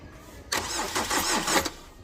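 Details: Tata Vista that won't start after overheating when a crash knocked off the radiator hose: about a second of cranking with uneven compression beats, then it stops without firing; cranks but won't start.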